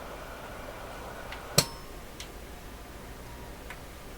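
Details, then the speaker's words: Heathkit SB104A transceiver on the 80 m band, switched into high-power transmit during intermittent-fault troubleshooting. One crisp relay snap, then quiet hiss; the transmit relay pulls in normally. "Transmit high, you'll hear the relay snap."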